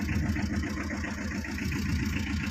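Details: 2012 Tata Ace diesel, two owners, engine in very good condition, radiator and oil serviced, long stored before sale: steady, even diesel clatter at idle with a smooth low throb, no knocks or misses; healthy idle.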